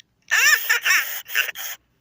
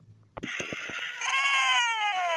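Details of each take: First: 1998/1999 Furby voice after speaker replacement: quick chirpy warbling bursts, clean and clear with no crackle or buzz; the new speaker works completely. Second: 1998/1999 Furby with a burnt-out speaker: squeaky voice bursts heavily crackling and distorted, pitch dropping and rising, worsening toward a mute Furby.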